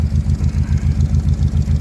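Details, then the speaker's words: 1975 Chevrolet K20 350 V8, cold start about 22°F after a month and a half sitting, choke on but no high idle set: deep, lumpy idle with heavy pulses about five or six a second; rough cold idle. "going poor old Betsy is a little cold"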